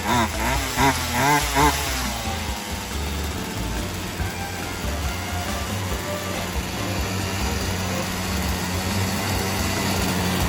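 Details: Poulan Wild Thing 2375 homeowner chainsaw after replacing gas lines and primer bulb, first run with the throttle raised, before carb adjustment: revving surges, then a lumpy uneven drone that won't pick up and runs hot. High and low screws still need adjusting. Bogging.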